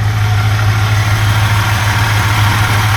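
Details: 1971 Buick GS 350 V8, first run in years after non-running purchase: deep steady idle with slightly uneven beat, not quite healthy; owner suspects possible water pump noise, fan, and an exhaust leak.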